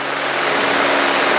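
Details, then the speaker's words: 1964 Cessna 210D with IO-520 engine, long stored, climbing out after takeoff at 2500 rpm, full mixture, airspeed 120, 500 ft/min, gauges in the green: steady, even drone with no misses, surging or roughness; healthy climb power. "Okay. 2500 RPMs. That's healthy. That's fine. We're still full mixture."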